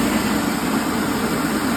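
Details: Rice mill with broken rice and low power, after repair with new parts, drawing about 11 amps: a steady, even hum with a constant low drone and no knocks or surges. Normal running after repair.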